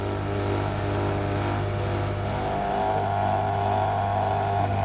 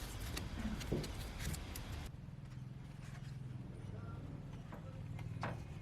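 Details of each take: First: Outdoor AC condensing unit (hot coil) running: steady fan and compressor hum with a buzzing rattle; noise traced to fan vibration and a wire hitting the copper refrigerant pipe, pressing it silences it. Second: Outdoor condensing unit of a home air conditioner after fixing wires that rattled against the copper refrigerant pipe: a steady low compressor hum with only light occasional ticks and no metal-on-metal rattle; normal running after the repair.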